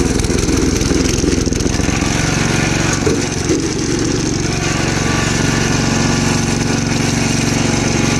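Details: Gravely Commercial 12 34" Snow Cannon snowblower, cold start after about a month unused, on choke: loud, uneven running with a stumbling beat and brief sag; owner suspects fuel, possibly ice in the carb bowl; likely fuel starvation at the carburettor.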